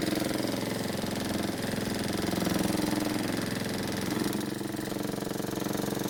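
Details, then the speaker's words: Neglected Honda lawn mower engine run poorly maintained: rough harsh running with rapid regular knock, owner first suspected ignition coil hitting flywheel, marks seen on flywheel; bent crankshaft. "so as you can hear it sounds terrible and to be honest I'd never buy anything that sounds this bad"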